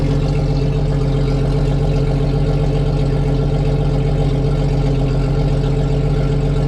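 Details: 1995 right-hand-drive Jeep Cherokee with a used XJ engine just installed, after swapping the throttle body and restoring fuel pressure, first run and not yet fully sorted: steady, even idle with a smooth low drone and no knocks, misses or rattles.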